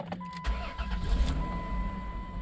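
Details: 1997 Dodge Grand Caravan SE abandoned 4+ years, just after cam sensor replacement: a few cranking beats, then it fires and settles into a steady, even idle; starts and runs fine.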